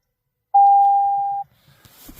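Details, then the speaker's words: 2024 Toyota Tacoma Hybrid, almost 5,000 miles, won't power on: one steady mid-pitched beep about a second long in quiet cab; system stopped message and parking brake flashing; weak auxiliary battery cell. "same error messages system stopped see owners manual will so this is the error that I'm getting and it will not power on at all whatsoever"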